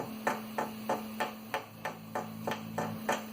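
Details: 3D printer extruder cooling fan (stock Noctua): about three light taps a second, each stopping dead with no ringing, over a faint hum; healthy bearing, unlike the rattling fan that mimicked X-axis bearing noise.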